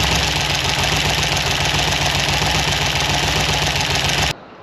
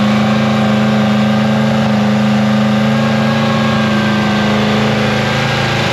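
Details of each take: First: Free 327 ci Chevy V8, barely running: stumbling with harsh, uneven popping and clatter about three to four times a second; lifters starved of oil and rockers backed off; the cam and lifters were later swapped. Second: Free 327ci Chevy V8 after cam and lifter swap, cold morning around -3°C, idle raised with fan running from start: steady, even drone with smooth firing and no ticking or knocking. Normal high idle.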